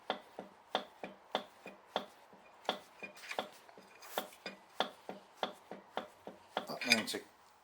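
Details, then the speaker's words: Rover 3.9 V8 being rebuilt, apparently low mileage, with the crankshaft rocked back and forth by hand. Sharp metallic clunks reveal excessive crankshaft end float; the engine is to be disassembled to inspect the bearing shells. "you know I've supported off some end floors but this has got quite a lot of end floors and can you hear that"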